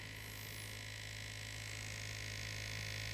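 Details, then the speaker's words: Tiny USB-powered pump in a hybrid laptop water-cooling setup: a constant low electric hum with a thin high whine. The pump is a little noisy, a poor choice of pump. "the pump is running now it's a little noisy yeah those tiny pumps yeah definitely not the greatest choice"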